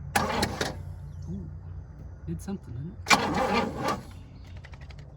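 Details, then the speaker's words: 1966 Pontiac Grand Prix, 389 four-barrel V8, sitting since 1992, cranked via remote starter at the solenoid: two short cranking bursts with even regular compression pulses, no flat spots; compression sounds healthy. "compression does not sound bad"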